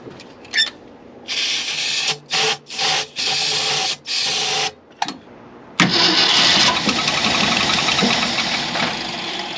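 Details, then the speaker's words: 1965 Ford Galaxie 500, after its plugged fuel filter was replaced: short cranking bursts with gaps, then it catches and runs ragged and unsteady. The long-sitting carb has a non-working accelerator pump, passage suspected clogged. "Alright, well I figured out I wasn't getting fuel to the carb. The filter that was on it was plugged."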